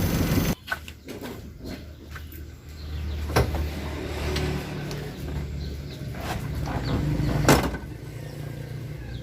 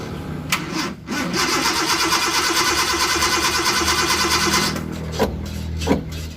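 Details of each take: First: Suzuki Carry 1.0 that was hard to start after washing, started with full throttle to clear excess fuel: low steady hum with even beat and no misses; engine now idling normally. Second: Suzuki Carry 1.0 with a carburetor that flooded after a wash, cranked with the accelerator held fully down: the starter cranks several seconds, then the engine catches and runs rough and low; excess fuel causes the hard starting.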